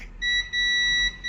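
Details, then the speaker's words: Multimeter on buzzer mode testing a mobile phone board capacitor with one probe on ground: clear high beep twice with a short gap, normal continuity on one side of the capacitor, no beep on the other. "One side beep, one side no beep, correct. One side beep करेगा, other side no beep करेगा।"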